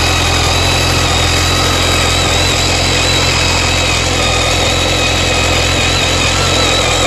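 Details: BMW K1300S motorcycle engine running steadily with a thin high-pitched screech holding even throughout; owner asks if normal; source unclear.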